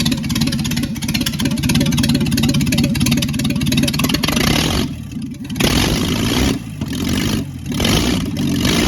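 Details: Secondhand Ford 300 inline six, first test run with junkyard intake and Amazon carburetor, choke held open. After the misrouted fuel line that caused flooding was fixed, it catches and its throttle blips rise and fall cleanly, with no stumbling or flooding.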